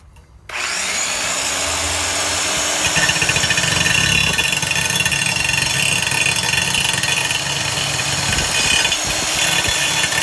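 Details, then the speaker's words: Black and Decker 5-inch straight grinder after teardown, cleaning, re-greasing and one new bearing, running at full speed: smooth steady high-pitched whir with no grinding or rattle; normal running. "it seems to be working great and and we're gonna we're gonna do a little demonstration right here real quick if possible"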